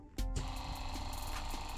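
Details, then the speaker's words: Newly installed identical replacement water pump under the kitchen sink of a 2021 Jayco 224 BH camper, bench-tested after wiring: click, then steady buzzing whir with constant pitch and no grinding; motor runs cleanly. "We hear it running."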